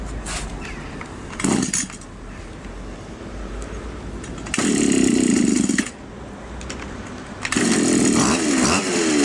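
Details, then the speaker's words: Champion two-stroke trimmer that stalls at idle but runs fine under throttle; carburettor has no fuel screw: throttle bursts drop back to a weak, ragged idle; low idle speed causing stalling. "Вот его мы Сейчас как раз закручивать будем добавлять до тех пор пока он не перестанет глохнуть"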